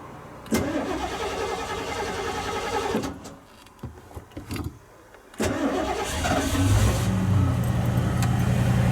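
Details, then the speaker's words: Unnamed vehicle, cold start after sitting two weeks on a hot 95°F day, gas pedal pumped, choke holding throttle open, mixture set very lean: it catches quickly on first crank, dips briefly, then settles into a steady fast choke idle; normal cold start. "This is where it could stumble, but that'll be because I have set everything to the very lean side."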